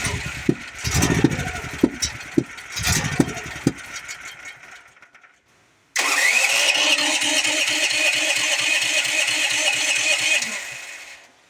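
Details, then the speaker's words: Duromax generator on propane, intermittently hard to start. Repeated cranking bursts, then a long steady churn of about three and a half strokes a second that never fires. Unburned fuel smelled; owner plans to start it in gasoline mode instead. "can smell an unburned fuel. So I'm going to do what tends to work a lot is I'm going to start it on gasoline mode, turn my gasoline valve back on."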